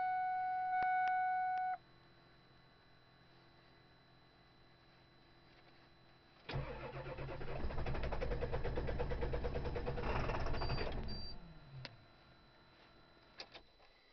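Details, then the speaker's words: Diesel cold start at about 20 degrees, fourth crank attempt after glow plugs: a few chimes then an even, quick starter chug for about five seconds that stops without catching; smoke seen outside, worse than the previous day, not yet plugged in. "Fourth crank. This is glow plug. I see smoke outside. This is retarded. This is worse than yesterday."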